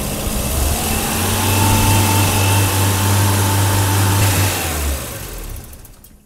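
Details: 1984 BMW 318i, M10 engine, 65,000 miles, new distributor fitted, rough idle: with the idle control valve unplugged and fed 12 volts, the steady low idle sags, rpm drops away and the engine stalls. The ICV is suspected faulty.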